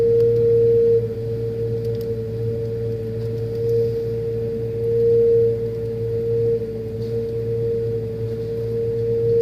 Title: Loud noise from freezer